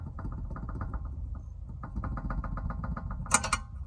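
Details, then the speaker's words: 2014–2020 Jeep Compass front ball joint: a quick run of sharp clicking clunks over a low rumble, from play in a ball joint worn by miles; replacing it fixes the clunk. "It's due to the play when you're writing. I don't know if we could get that on camera, if you could hear it, but it's the play. There's a lot of slack, so therefore it clunks."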